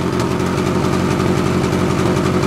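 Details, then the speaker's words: 1994 Ford Ranger idling on a nearly empty tank, run dry before a gallon of 151-proof Everclear is added; rough uneven idle with popping and stumbling pulses over the engine drone — misfire from fuel starvation. "oh that definitely sounds like a sputter all right let's of that something's happening something's happening sounds like it's popping"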